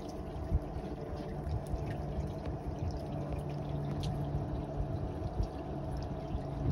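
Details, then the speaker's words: Clothes dryer vent duct that let laundry moisture collect, leaving water dripping from the kitchen ceiling: steady rushing airflow with a wet, sloshing gurgle underneath as the water sits trapped in the duct. "the kitchen ceiling a I can hear it it's like gurgling"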